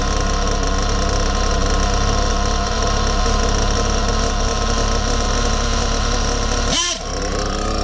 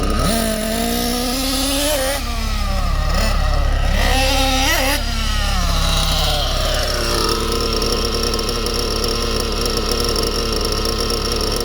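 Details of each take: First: Small nitro RC engine buzzing at idle then stumbling briefly on a quick throttle blip; hesitation, not bogging, because the mixture is too lean and needs richening. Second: Small RC nitro engine during tuning: revs and wavers, then settles into steady, even high-pitched tick over without stumbling; healthy idle.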